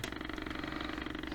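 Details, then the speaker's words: Sony Dream Machine ICF10W solid-state radio, plugged in after sitting unplugged for hours: a rapid, steady buzz pulses under the station audio and never clears; points to cold solder joints. "now I'm going to plug it in to see if it's working or not or it's still making those buzzing sound so definitely I hear a station and the sound at the same"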